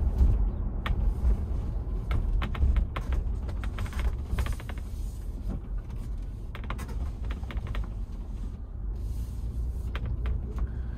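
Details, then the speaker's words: New 2021 Ford Bronco with optional molded-in-color hard top, driving rough road: sharp irregular pops and creaks from roof panels overhead, one or two a second, over road rumble. "yeah yeah yeah it's like like i said little dwarves making popcorn above my head which gets really annoying after a while"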